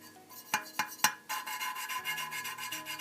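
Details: Honda VF750F engine with low compression, heads off, hand-lapping the number two cylinder intake valve (the poor-compression cylinder): scratchy rasp after sharp taps, the gritty note smoothing and evening out as the seat beds in.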